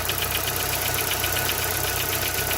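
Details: Corsa at idle: fast, even metallic ticking following engine speed, a noise that started small and grew with driving; possibly a worn camshaft; parts were later replaced and the problem solved; engine knocking.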